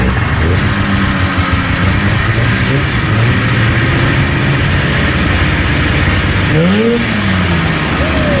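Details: 1977 Arctic Cat El Tigre 4000 440cc free-air vintage snowmobile with Mikuni round-slide carbs, after the needle clip position was adjusted. The two-stroke picks up cleanly on the throttle and revs freely without bogging; the low-end bog is cured.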